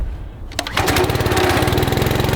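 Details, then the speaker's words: Honda engine on a gasoline pressure washer, sat for months in real cold weather, choke out: a pull-start rattle, then it catches at once on one pull and settles into a fast, even putter. Healthy cold start. "a Honda for you. This thing's been sitting for months. One pull and it starts."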